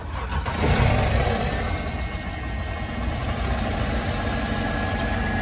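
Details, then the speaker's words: Wrecked 2010 Mercedes E550 V8, running without coolant: an uneven, stumbling idle with irregular low thumps; misfire codes on cylinders 1, 4, 6 and 7. "so here's my slashing he's got misfire codes I wonder why it's running with misfire codes"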